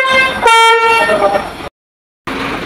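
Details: Truck multi-tone trumpet horn (basuri), used unit: short blasts with a thin, lopsided chord, one note missing; limping sound because one horn unit is broken.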